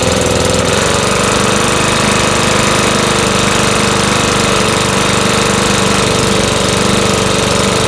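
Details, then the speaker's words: Makita BHX2500CA 4-stroke blower, old black oil before oil change, being warmed up (not hot) to drain oil; steady buzzing speed with constant fan rush, even, no misses; normal running. "we're going to go ahead and warm it up not get it hot just warm it up"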